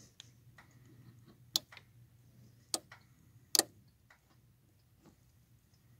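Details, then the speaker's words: 1997–98 Chevy Silverado with no brake lights (a rear-harness white wire was grounding and blowing the fuse). With the brake pedal depressed, the brake light relay gives three crisp clicks as it pulls in, showing the relay is activating normally. "That's not me making that noise, that's it engaging. So now, we know our relay's activating."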